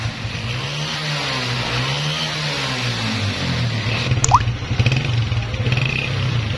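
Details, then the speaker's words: 2011 Honda CG 125 single-cylinder motorcycle with heavy smoke: revving with loose rattles and uneven clatter over exhaust beat; worn piston and cylinder. "Engine से बहुत ज्यादा smoke आता है engine में बहुत sari extra आवाजें हैं"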